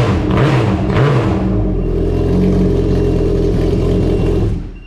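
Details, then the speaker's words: 2021 Yamaha RXP-X 300 Stage 3 first start after valve spring and retainer replacement, intercooler off, oil primed: loud, rough-edged note with quick blips then steady hold before shutdown; normal running. "that thing sounds rowdy man"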